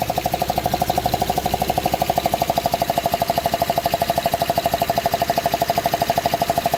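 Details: 2005 Honda Odyssey engine after a cylinder 2 misfire repair with new gaskets and spark plugs: very even ringing tick about three per second, steady throughout; unexplained engine ticking noise.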